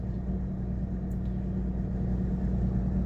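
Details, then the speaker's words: Mercedes 300SD W126 diesel after replacing the noisy auxiliary electric fan with an aftermarket unit: even idle near 800 rpm in park, A/C off, steady fan whoosh cooling toward about 85, no knocks; normal idle. "it's pretty solid the electric fan kicked in and it's doing its job trying to bring the temp back down"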